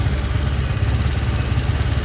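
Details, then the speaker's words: Honda Click 125 with hunting idle, TPS reading 5 when it should be corrected: revs swing 2000 to 1700 and back with throttle untouched, fast busy even throb; idle stop screw turned too far, high idle speed. "walang gumagalaw ng silinyador pero yung RPM niya is 2000 yun babagsak ng 1,7 2000 ulit"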